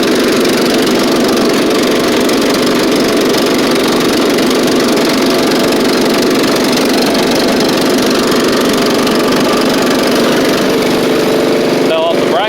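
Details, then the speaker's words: Scotts riding mower after a new drive belt, safety switches bypassed, slight exhaust leak: steady, even single-cylinder drone with no knocks, surges or stumbles; it runs, drives and cuts very well. "but it does run drive and cut drives really good with the new belt like almost too good"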